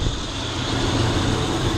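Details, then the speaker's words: 1998 Lexus LS400 1UZ-FE V8 after power steering pump replacement, filled with automatic transmission fluid: smooth, even low idle rumble with no knocks, ticks or whine; running normally. "All right, y'all, she running. Sound real good."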